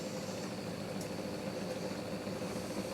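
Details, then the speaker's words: Bedini SSG pulse motor with the pot replaced by a fixed 600-ohm resistor, so it builds speed slowly. A steady low hum with an even, gathering pulse; it is running normally and the charge battery is trickling up to about 54-55 mA. "So what we can do now is start it up. Now because I can't wind the pot up and get it going quick and then wind it back down, have to wait a little while for it to build up speed."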